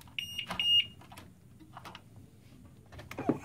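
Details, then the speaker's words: PC power supply with a shorted GTX 760 graphics card connected: short run of high, clipped beeps, then silence. The supply's short-circuit protection is tripping. "so this is my power supply actually make the sound when is leaping is mean there's a power power short"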